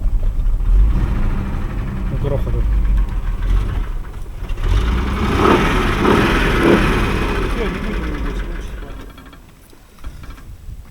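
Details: Mercedes 123, cold engine idle with oil pressure present: deep heavy knocking about three a second low in the block; main (crank) bearings knocked, not connecting rods, possibly from being run on cold oil in winter.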